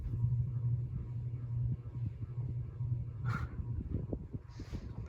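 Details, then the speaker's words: 1996 44-inch Hampton Bay Cameron II ceiling fan with the canopy not fitted: a deep, steady, loud motor hum with an uneven rumble plus slight buzzing, possibly from a loose blade screw; much noisier than the larger version, cause unclear. "some of the hum I guess could be caused by the fact that um the canopy is not up or anything but it really is a lot on top of the humming noise"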